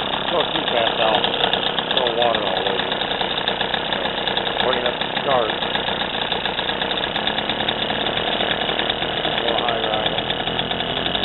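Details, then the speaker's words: 3 hp two-stroke sailboat outboard after carb repair (fuel filter, float piece riveted), no reverse or neutral so prop always spins and must idle low: putters evenly at low idle, picks up smoothly with throttle; normal idle. "This motor has no reverse on it or no neutral. So that prop is always constantly running, so it has to be at a low idle so it doesn't push you."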